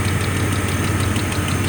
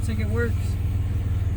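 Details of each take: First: 1995 GMC Jimmy 4.3L V6 after new plugs, wires, distributor cap and rotor, misfired and idled about 500 rpm cold before; now steady idle with faint light tick; owner suspects small exhaust leak; ticking at idle. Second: 1995 GMC Jimmy 4.3 L V6 after new spark plugs, wires, distributor cap and rotor, previously misfiring at cold start idling about 500 rpm: low, even pulsing idle with no stumble; possible small exhaust leak noted.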